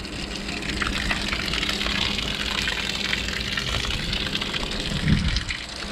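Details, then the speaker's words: Bilge pump on a Sea Nymph fishing boat, tested on its automatic float setting, wired hot directly to the battery: a steady rush of water pushed out over a faint pump hum with even flow; the bilge pump is running normally. "awesome like it's pumping it all out and of course that's just on the automatic setting I didn't have to flip any buttons"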